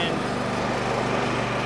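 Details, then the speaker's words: Craftsman Select 26 snow blower (model 31AM6C2FB93, 675-WUB engine) after fuel flush and carburetor work, at about half throttle: steady, even single-cylinder putter without surging; slight muffler smoke thought to be bad fuel burning off; normal running. "okay so we're back up and running that little bit of smoke that you may have seen coming out the muffler is probably just excess bad fuel that was in there and it just has to burn it out"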